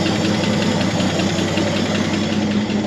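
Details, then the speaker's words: 1963 Chevy C30 inline six, off the road since 1978, idling after its first restart: steady, even idle with a light, quick tappet tick. The belt is swinging a little and the generator is charging. The engine sounds healthy. "Sounds like a tippy-tappy little inline 6. Belt's swinging apart a little bit."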